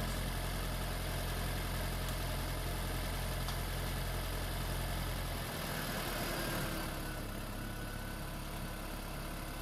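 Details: Freshly swapped 2016 4th-gen engine in a 2012 Prius V, just after first start, running in maintenance mode on jack stands before coolant air purge: a steady, even low hum with no knocks, misses or rattles; a normal idle.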